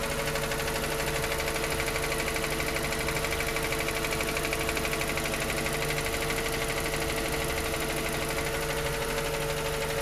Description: This noise appears on the cold motor and disappears as it warms up. It started as the mileage reached just 10K km.